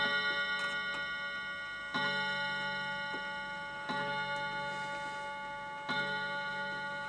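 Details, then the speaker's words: Old clock striking ten o'clock, after cleaning the clutch and squaring the movement in its case: evenly spaced bell strikes about two seconds apart, each dying away cleanly over a soft tick, a normal hour strike. "ten o'clock folks just check that yep it's olden time"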